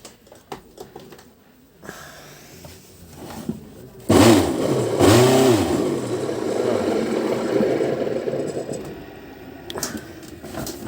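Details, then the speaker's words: Philips FC8950 vacuum cleaner: starts with a loud harsh roar and rough drone under the whine, smell of burnt brushes; worn motor bearing with burnt commutator. "Поступил пылесос с жалобой. Включается, заревел, гудит."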